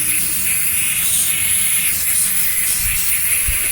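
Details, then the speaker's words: Truck tire leaking air in remote Utah, not yet flat: steady high hiss of air escaping through a puncture, heard walking around the truck; owner plans to fix it with an onboard repair kit. "Well, the tire's not flat, it's leaking. And I'll show it to you here. I walked around the truck a little and it's leaking."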